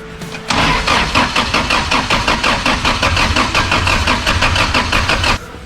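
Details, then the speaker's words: Jackaroo petrol engine after distributor work, starter spray used: steady starter churn about four to five beats a second for five seconds, never firing; cranking no-start, timing issue suspected but unconfirmed. "but yeah we couldn't get us to start i'm not sure if there's a timing issue or not it was pretty bloody close a couple of times"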